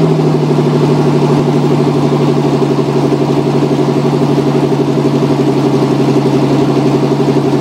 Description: Just a quick video of my '89 Cherokee with an exhaust leak at the down pipe.